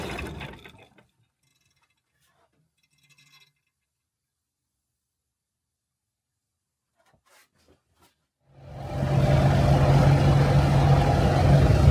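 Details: 1975 Land Rover Series 3 109" with Perkins 4.203 diesel after head gasket replacement and valve job: steady, even low idle clatter with no misses after start-up, though owner says still somewhat noisy.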